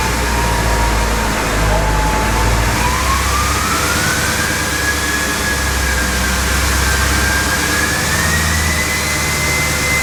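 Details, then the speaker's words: Duramax diesel in a K20 truck build, revved in place: deep steady roar with a turbo whistle that climbs and holds as throttle is fed in, no knocks. Healthy diesel revving. "This thing sounds so good. We good? Feel free to give it some gas if you want."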